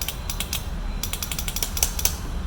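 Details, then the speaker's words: Scooter after the brake switch and starter switch were checked: sharp irregular clicks, several a second, with no cranking or engine catching. The starter circuit clicks but won't turn it over; the solenoid is suspected. "आगे बढ़ते हैं हम start करते हैं ये टिक टिक आवाज आ रही"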